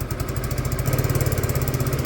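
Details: Peugeot Tweet scooter with new ignition, idling: small single putters with a slow, slightly uneven beat; the idle is a bit low and needs raising.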